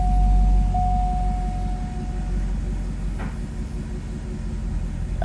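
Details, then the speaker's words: Normal idle of a 2004 C5 Corvette LS1, which had a slight stumble on original coils, after fitting MSD coil-on-plug coils and power harness. A steady, even V8 burble, slightly smoother, with good rev recovery and no check engine light. "SCS pretty steady no check engine light so that's good it feels a tad bit smoother but nothing to cry home about rev's good the recovery is good doesn't bounce too much at idle"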